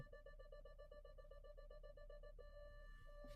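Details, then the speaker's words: Automatic car's rear parking sensor while reversing with the back camera: quick repeating high beeps close together, then a continuous tone, meaning an obstacle is very close and the car is about to hit it; a red symbol shows on the display. "இந்த மாதிரி கோயின்னு sound வந்துச்சுன்னா இடிக்க போகுதுன்னு அர்த்தம்."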